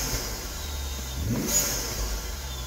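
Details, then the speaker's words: Turbocharged BMW after fuel supply diagnosis (low pressure sensor stuck reading 98 psi): throttle snap rises cleanly and falls to idle with faint turbo spool whistle, no fuel pump codes; responds healthily. "that turbo spooling up oh good that's that raw BMW power right there"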